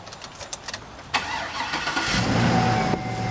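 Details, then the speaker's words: Cadillac Escalade LQ9 V8, roughly 200,000 miles, sat five months, new alternator and battery fitted: a few clicks, starter catches and it settles into a steady, even, very quiet idle with no ticking, knocks or misses; normal start. "see i tell you it runs so up here we've got a beautiful lq-9 that's got roughly two hundred thousand miles on it super quiet"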